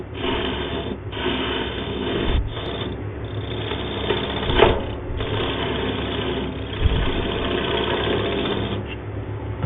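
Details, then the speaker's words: Wood lathe turning a base for a glass candle holder, shaping below the top section: a rough, rasping scrape that rises and falls with each pass of the gouge. Tear-out from cutting torn grain. "Always hate that sound. Torn section. Now I'm going to have to work at seeing if I can get this little tear out of it."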